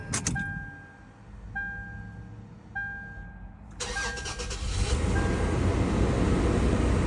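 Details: 2004 Toyota 4Runner V6 after coolant temperature sensor replacement: three chimes, brief crank, then fast raised idle that won't settle; still idles high and runs cool, suspected thermostat stuck open.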